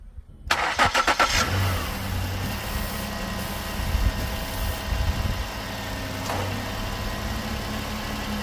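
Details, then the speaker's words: 2013 Ford Edge that overheated from failed radiator fans, after replacing them: quick crank and catch, then settled idle with a steady airy hum from both new fans running, moving far more air than before. "All right, we got them both running now. And we are by far moving way more air than we were before."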